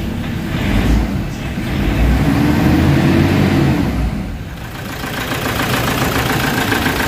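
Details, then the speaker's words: Toyota Fortuner losing power around 2000 RPM and suddenly stalling: engine surges and sags unevenly, nearly dying; cause found to be a fuel pump open circuit, an electrical wiring fault with possibly a grounded or shorted line. "Kita niyo yung andar guys? So umaandar siya namamatay."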